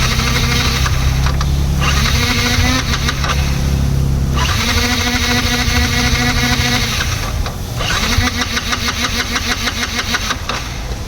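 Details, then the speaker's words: Yamaha MT-15 bike: aftermarket starter (self) motor bought online, battery charged twice, spins unevenly with a labouring whir but engine never starts; starter lacks power and drains battery, to be replaced with a new starter motor. "Self motor வித்தியாசமா ஓடுது self motor மட்டும்தான் ஓடுது engine start ஆக முடியது"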